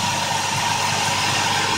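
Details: Jeep Liberty 3.7L V6 idling steadily with even hum, no stumble or misfire, after replacing fried spark plugs and coils to fix rough idle.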